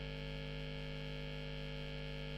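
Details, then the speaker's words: Late-1980s Hiwatt 100R Trinity tube guitar amp: a loud, steady mains hum with buzzy overtones that fades in and out when lightly tapped; dry joints or an ungrounded jack socket are suspected, not confirmed. "I've got this horrendous honey and you can hear it fading in and fading out ah dry joints perhaps and I'm not tapping that very hard I can hear that"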